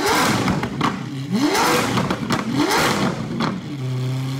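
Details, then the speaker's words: Lamborghini Aventador SV V12, rolled-over wreck being rebuilt, freshly started and still cold; short rising revs well below redline that stumble, choke and crackle before a lumpy idle; rough cold-start revving. "a couple cold revs just to let that motor know what it's coming against"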